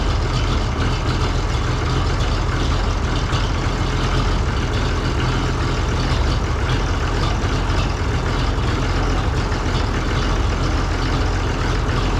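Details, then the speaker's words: Oliver 1800C diesel tractor, cold, just started after Stanadyne (Roosa-Master) injection pump repair and reinstall: steady, even diesel clatter with a low heavy rumble and no misses or surging; idling cleanly while air purges. "run for a little bit. Burning clean, especially for as cold as it is."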